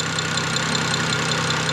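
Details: BMW E90 N54 twin-turbo under diagnosis for no boost, idling at about 26 vacuum with the wastegate line reconnected: a steady, even idle with a light, regular injector-type tick and no rattle. Healthy; normal idle.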